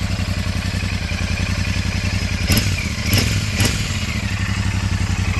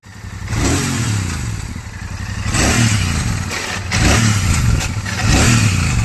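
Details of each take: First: Royal Enfield Super Meteor 650 twin at 12,740 km after the bend pipe was swapped for a new one; the old one was making an irritating noise and had turned blue. Even idle thump with three quick blips rising and settling cleanly, no rattles or leaks; healthy exhaust. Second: Royal Enfield Super Meteor 650 twin at 12,740 km, revs rising and falling every two seconds with a tinny clatter on top; something has broken inside the bend (header) pipe, which is to be replaced.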